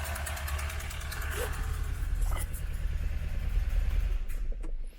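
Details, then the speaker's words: 1992 Renault Clio Mk1 1.4 automatic that had sat long in a unit: shaky, stumbling, very uneven idle with missed pulses; misfiring rough running, cause not yet found, MAP sensor being checked. "quite enough of that I can't really talk over it so loathe horrible but as you can see he's got a very shaky very uneven idle"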